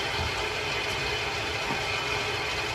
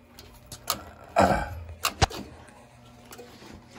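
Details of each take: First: New Yorker six-section 175,000 BTU residential steam boiler refilling after a valve is closed, while fixing a defective, blinking LWCO that was overfilling: steady hiss of water flowing in, no chatter or hammering; normal automatic water feed. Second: New Yorker steam boiler not heating and overfilling: irregular sharp clicks spread unevenly over a few seconds from defective low-water cutoff (LWCO) blinking and clicking over erratically.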